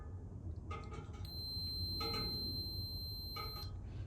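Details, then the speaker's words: 1982 Honda CT110 (stock 6-volt system) rear brake light switch tested with multimeter on continuity: no tone at rest, then a steady clean high beep for about two seconds when the plunger is pulled; switch works properly, not the fault. "Good solid tone. I hope you can hear that. Okay, so this switch is working properly."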